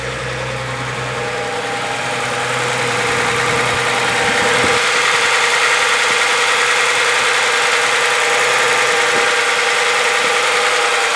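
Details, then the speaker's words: Warmed-up Z car idling at about 750 rpm, where it should be, after a high idle: a smooth, even beat with no knocks or misses. "no it's idling it a much better idle speed now about 750 which it should"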